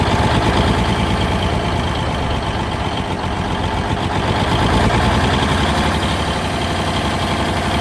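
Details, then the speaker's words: 1971 Peterbilt 352 diesel, sat for a few days, idling after a cold start: steady, even idle, deep regular chug with no miss or knock; runs healthy. "pretty good been sitting for a few days"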